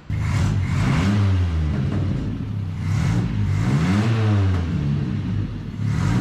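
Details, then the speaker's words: 1979 Chevy LUV after stumble fix and tune-up with ignition timing corrected: engine pulls smoothly under throttle, deep steady drone rising and falling with revs, much more power; normal acceleration. "that's way better no more power cause it's got way more power guys"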